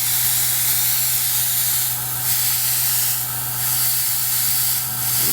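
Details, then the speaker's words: Airbrush spraying water at 30 psi, no leaks, trigger feathered at different amounts; steady, even spray hiss over constant compressor hum, no sputter or breaks, smooth flow. "feather a different amounts the water's coming out nice smooth flow no intermittent sprays okay perfect"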